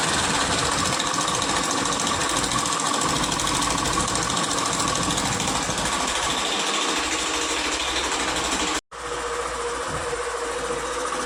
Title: #Hero Passion bs6 timing chain replace#automobile #timing chain noise